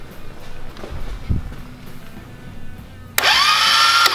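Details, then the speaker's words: Engine in the drivetrain donor for a 1969 Roof Palomino lawn mower Jeep project, starter powered directly at its post; clicks, then a high steady whir of the starter spinning freely without cranking the engine; owner suspects a frozen starter. "it's spinning so it's probably just frozen I'll have to take that off and try to clean it"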